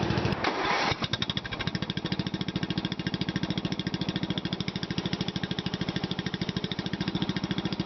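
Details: Murray widebody LT off-road lawn tractor, recorded from behind after filling the hood with mesh to reduce sound: starter catch, then steady quick putter about three and a half beats a second, even, no rattles; running normally.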